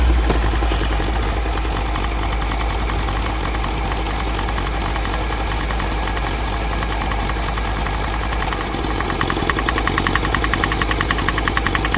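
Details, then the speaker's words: Mahindra Scorpio mHawk diesel (replacement engine) idling with a steady tak-tak knock that sharpens toward the end; compression and cylinders 2–3 TDC checked OK, knock stops when cylinder 2 injector disconnected; mechanic suspects seized piston, not confirmed. "दो number cylinder का socket निकालने प ही आवाज बंद हो रही है तो इसमें मुझे ऐसा लग रहा है पिस्टन सीज है"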